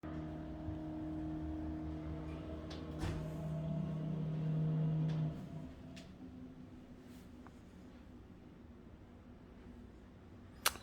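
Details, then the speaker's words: Elevator in a rental condo, heard from the living room: a deep droning hum with a steady low tone that builds for a few seconds then cuts off, loud enough to shake that side of the building; cause unknown. "incredibly loud that thing goes like from six in the morning until after midnight and right through the whole condo it's right shakes this whole side of the building"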